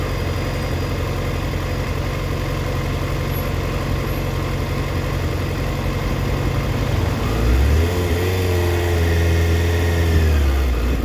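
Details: 2004 Yamaha FZ6, warm: idle chugs unevenly, then revs sag and hunt as low as 970 rpm (spec 1260-1320 warm). Misfire when coming down to idle; owner suspects an ignition coil.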